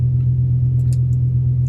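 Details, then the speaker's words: BMW M5 V10 just after replacing both idle actuators: steady, even idle with no stumble for a couple of minutes; after a restart it ran rough with a cylinder 9 misfire. "Well guys, we started the car back up. It ran fine for a couple minutes."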